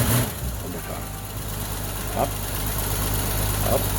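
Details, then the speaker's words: 1965 Mustang's first start after sitting about a year under a winter cover, carburetor needing several cranks; settles into a low, steady rumble with no knocks or misses, no oil or generator light; healthy idle. "Up. There it is. Purr like a kid. That's my girl."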